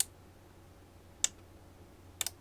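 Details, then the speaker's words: Cheap 4-channel wireless remote relay kit on 12 V, in learn mode, pressing fob buttons A–D: crisp, isolated clicks, about one a second plus a quick double, in a quiet room. Relays switch cleanly, and their pitch differs per button. Normal relay clicking. "heard that. Definitely one of the relays is going off. And I can tell as I push A, B, C, D, I can hear the pitch of these relays actually changing."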